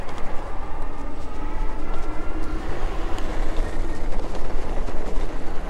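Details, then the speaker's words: 2024 Wired Freedom e-bike riding, with rear-fender rattle being addressed: steady tyre and motor hum with no rattles or clunks. The bike runs smooth and quiet, as it should. "to me that's the way the bike should sound the bike shouldn't be making all this rattling and crazy noises you know a little bit of brake Noise Okay that's you know pretty common"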